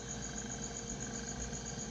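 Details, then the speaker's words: Mabe refrigerator after replacing the noisy, struggling condenser fan underneath: steady, even airflow hum from the new fan, no rattle, scrape or knocking; the old fan was the problem. "Como ven pues se escucha bien, no hace ruido y pues ese era el problema de este refrigerador."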